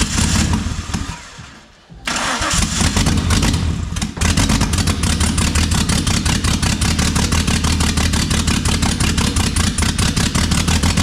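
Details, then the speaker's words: Nissan RB engine swapped into a VR Commodore, first start before tuning: turns over, stumbles, then lumpy, uneven, choppy chug, sounds like running on about three cylinders; misfire, cause not confirmed. "there you go number two sounds like it's running on like three cylinders"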